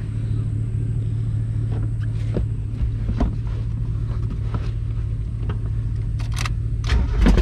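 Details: 1991 Mazda Miata 1.6 L (wide body, abandoned) with exhaust chopped off, running open: loud, uneven, lumpy idle with irregular pops, clearly not firing smoothly. Owner suspects engine may be out of time; unconfirmed.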